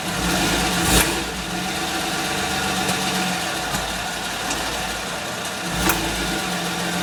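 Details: Suzuki Grand Vitara, idling: steady idle with a few sharp, irregular clicks a second or so apart riding over the engine; source of the clicking not clear.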